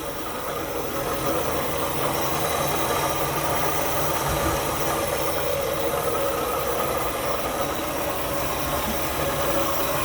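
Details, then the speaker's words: Buick Skylark after carburetor rebuild and oil fix, run off a gas can because the 30-year-old tank gas and leaking lines are bypassed: quiets down to a steady, even, soft low-rumble idle with no knocks or misses. Normal idle, just purring. "sounds good doesn't it all right quieting down it's actually idling carburetors are really not that hard to rebuild everybody's just afraid of them see that it's just purring"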